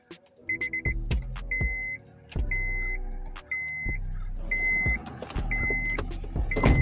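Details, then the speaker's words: 8th-gen Honda Civic after fixing a no-crank, no-spark, no-fuel fault traced to ground screws: at key-on a short steady fuel pump priming hum with chimes, earlier relay ticking gone; normal fuel pump prime. "turn off the ini key and turn it on for a minute so you guys could hear the difference on the gas pump turning on"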